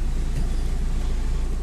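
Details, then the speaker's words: Car idling with AC on after refrigerant gas top-up: steady low hum, previous hissing gone, cooling much better; normal AC operation. "so the cooling is much better much better than before and i can't even hear the sound"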